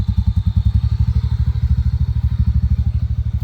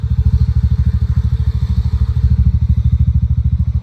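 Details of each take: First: TVS NTORQ scooter with loud noise from the fan/belt side: low, steady rattling thumps about two and a half a second; a loose one-way clutch nut suspected, needs fixing. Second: TVS NTORQ scooter after one-way (starter clutch) replacement to fix loud noise: steady, even low putter at idle with no clatter or knocking; noise greatly reduced, engine now smooth and healthy.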